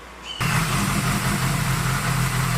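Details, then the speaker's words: Honda CB550 four-cylinder motorcycle after charging system repair, now 12.8–12.9 V at idle versus about 5 V before: steady, even idle with no misses or knocks; normal idle. "all right hopefully you can hear me over the bike now but I uh just got it all back put together and wanted to show before I was getting about 5 volts now here at idle getting almost 13 12.8 12.9"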